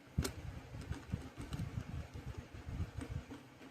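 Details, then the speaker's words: UDIRC 4x4 RC truck on the bench after replacing a bent differential drive axle damaged in a full-speed wall impact: quiet, soft low whirring in short pulses, no clicking or grinding; grease working, new axle appears to have fixed the noise. "Alright, so this looks good, this looks good. This sounds fine. Grease is doing its job."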